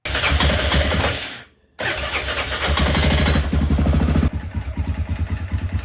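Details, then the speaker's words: 2001 Yamaha Grizzly 600 single, footage from before the repair, not taking much throttle and lacking power. A loose, irregular rattle is piston slap from a seized wrist pin, possibly from oil starvation. Fixed with new piston and cylinder, crankshaft rebuilt or replaced. "But what was causing all that noise, the rattling and stuff, it was actually piston slap. You could tell on both sides of the pistons that it was hitting the front and the back of that cylinder,"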